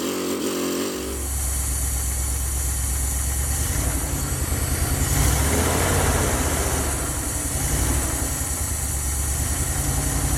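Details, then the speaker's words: 1977 Dodge van 318 V8 2bbl after mileage/horsepower rebuild with changed air intake, first cold start: brief crank then steady even low burble idling in gear, quiet, no knocks or ticks. Normal idle. "that's idling in gear sounds good guys what do you think quiet as can be"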